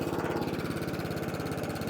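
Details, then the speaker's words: Atco Balmoral 14SK with Kawasaki FJ100D engine, after carburetor clean and cylinder backlap: even steady single-cylinder putter while cutting, no skips or misses; cylinder cutting properly. "Not missing a beat. And that cylinder now is cutting beautiful. Cutting as it should do."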